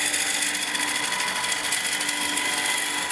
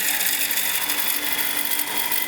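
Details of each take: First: Wood lathe turning maple with a gouge, taking slow light cuts: steady, even hiss of peeling wood with no chatter or vibration. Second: Woodturning lathe turning a maple two-piece hollow vessel: hard, fast chatter over a high ringing tone as the gouge is pushed too hard into the spinning wood. Taking it slower and letting the tool cut removes the vibration. Lathe tool chatter.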